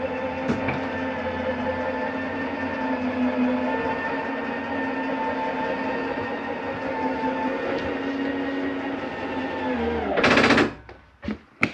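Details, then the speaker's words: 2022 Palomino Columbus C-Series 299RLC RV slide-out coming in: steady motor drone about ten seconds, then a short harsh burst as the room seats; normal operation. "I want you to hear that noise that is nothing grinding there's nothing wrong with your slide mechanism that is the slide mechanism communicating I'm in as far as I can go"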